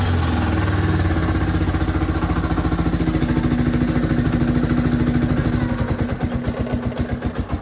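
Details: Yamaha Scorpio 225 that wouldn't start after sitting about two weeks; owner suspected ignition and found wiring chewed by rats. Engine fires and settles into a steady, even single-cylinder idle, slowly easing off; clean start.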